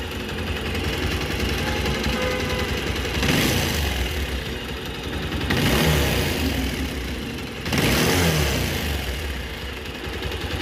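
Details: Bajaj Pulsar 220 single-cylinder engine with three throttle blips: thrum rising and falling with a rough clattery edge underneath; engine noise, cause unclear.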